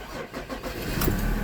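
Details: Mazda BT-50 diesel with no-crank no-start issue after customer disturbed panel-board wiring harness: brief crank catches within about a second and settles into steady idle, starting normally with key light not blinking and brake pressed; harness being re-secured.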